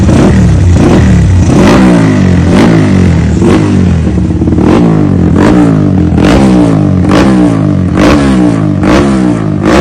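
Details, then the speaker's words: Carburetted motorcycle blipped repeatedly after the timing screw was raised slightly: sharp, clean rises and falls with crisp throttle response and no misfire, a noticeably loud intake air sound; ignition timing now correct, engine healthy. "So kita dengar bunyi angin dia agak kuat."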